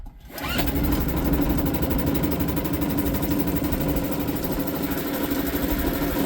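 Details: Suzuki DF 2.5 HP outboard, warm start without choke in neutral after a no-start blamed on the low-oil sensor; quick catch on the pull, then a steady, even buzzing idle with no misses or knocks. Healthy.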